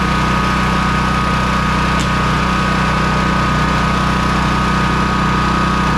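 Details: Honda EB3800X generator, GX240 8 hp engine, after carburetor replacement; the governor had been sticking and high-revving, and the idle was slowed to about 125 volts: steady, even hum with no hunting or misses. Normal governed idle.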